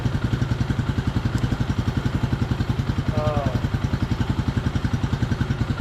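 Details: 1998/1999 Suzuki DR200 single, about 796 miles, revived after nearly a decade sitting, carb not yet serviced: steady thump at about three and a half beats a second, even and unbroken; healthy idle.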